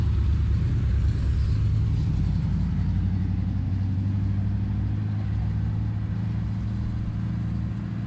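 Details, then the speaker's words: Chevy G10 van V8 on test drive before a hot rod show: even low rumble with a steady beat, smooth through light throttle; it starts, stops and goes through the gears, running normally. "it starts it stops we're ended up down the hill it goes through the gears it's about as good as it's going to get before saturday"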